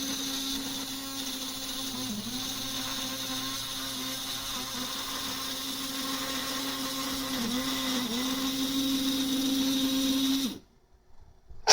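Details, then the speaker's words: HO-scale model monorail, only one car powered and not the front one, nearly completing a loop: small motor steady whine sags slightly under load then cuts out abruptly; drive stalling, owner blames single powered car, cause unconfirmed. "if only had another locomotive that I could send down the line to rescue it when it gets stuck"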